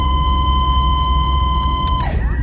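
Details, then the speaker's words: 1981 Vauxhall Astra Mk1 heater fan after a road trip: steady, piercing high squeal whose pitch drops as the fan slows. The heater still heats but the fan can't be used; the owner suspects it needs greasing, unconfirmed. Heater blower squeal. "makes that noise. So I think a heater is, I mean it heats, but we can't put the fan on. It might need a little bit of greasing."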